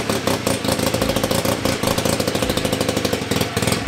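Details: 1975 Hercules W2000 KC27 294cc rotary, 5-speed, ~30 bhp, fully rebuilt, kick-started with transmission on; carburetor tilted. Crisp, rapid, even firing with smooth revving, no knocks or misses; normal running.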